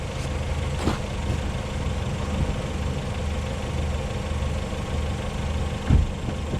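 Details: 2020 LADA Vesta SW Cross, 13,300 km, 1.8 engine, AMT gearbox, updated SAAZ front struts, driven over broken dirt road with deep bumps: steady engine drone, occasional soft thumps, no rattling knocks; front suspension working normally.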